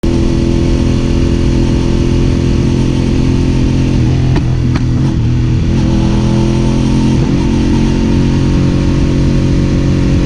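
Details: Suzuki SV650 V-twin motorcycle revving: rough, with a few sharp stumbles and dropouts mid-rev around four to five seconds; engine misfire, cause unknown.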